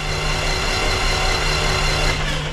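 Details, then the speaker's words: Titan IO-340 180 hp fuel-injected four-cylinder aircraft engine, first start: motored by the starter with spark plugs removed, steady even whirring with no firing, building oil pressure to 54. "all right let's go ahead and put in the spark plugs and get this baby fired [Music] up spark"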